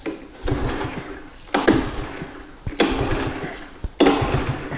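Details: 1985 Honda ATC110 three-wheeler, long abandoned, fresh fuel added, choked; four cranking bursts of rapid chugging that never catch, turns over but won't fire; throttle nearly locked up, carb suspected dirty, before brake fluid down intake.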